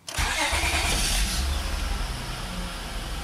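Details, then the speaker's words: 2005 Honda Accord EX V6 with intermittent no-crank no-start, after transmission range switch replacement: starting in park, brief crank then clean catch into smooth even idle; starts normally. "all right starts and park now let's put it in neutral this is exactly what you're what you would do if you had a no start and you suspected a transmission range switch put it in neutral and then let's see if it starts now we're good to go"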